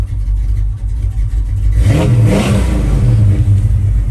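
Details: 1986 Chevrolet Silverado, rebuilt 350ci V8 with a cam and automatic transmission: deep rumble that climbs cleanly when the throttle opens near two seconds and holds strong; healthy engine.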